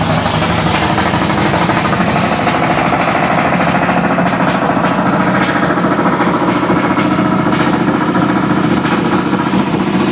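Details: 1966 Ford Fairlane gasser with 503 ci big-block Ford built on a 429 D0VE block, running after sitting for years on new headers and distributor; very loud, lumpy, fast and steady idle with no knocks, misses or ticks; normal.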